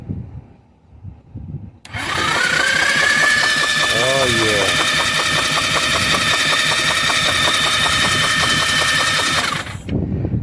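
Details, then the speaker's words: 2013 Yamaha Zuma with a GY6 swap cranking on a jump pack set to 40 amps, with the coil newly hooked up. A steady starter whir with a fast even chatter, about four beats a second, that never catches. Cranks without firing; no spark. "now i got my spark plug here because i oh i forgot to mention i went ahead and hooked up the coil too let's see if we're even getting spark out of this sucker"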